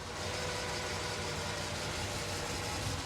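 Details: 1963 Chevrolet Corvette with a 327 small-block V8, cold start after sitting a couple of days, microphone moved around the engine: a smooth, even idle with no ticks, knocks, water pump or bearing noise. The engine is healthy.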